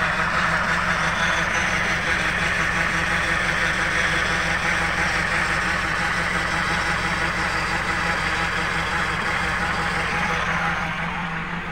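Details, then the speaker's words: Nissan X-Trail T31 CVT filled with the wrong transmission fluid, heard from engine bay: steady high whine over idle without pitch change; in D it barely moves and lacks power; CVT damaged from wrong fluid. "nah di bagian matic terdengar suara seperti ini"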